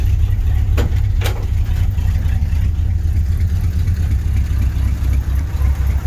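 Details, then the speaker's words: 1983 GMC C3500 one-ton 2WD crew cab: deep, loud idle with an uneven, lumpy beat and no steady rhythm; engine runs rough, cause not yet known. "Sounds like crap. We're going to address that later."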